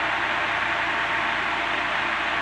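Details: Antique Emerson 16-inch desk fan, Type 73648, after speed control sorted and correct head wires fitted, on 110 V: loud, steady rush of air on high, even unchanging tone, no ticks or rattles; draws just over 3 A, levelling near 2.75 A; healthy.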